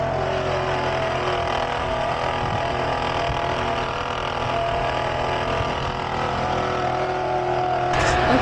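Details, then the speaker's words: BMW-shop vehicle idling: steady whirring whine with a fast rough rattle on top. The alternator is noisy when spinning and the noise can be heard when it is wiggled; replacement is recommended pending further checks. "So this is the alternator, the Bowie has legs. So every time it spins, it makes a loud noise, but you can kind of hear it when I wiggle it."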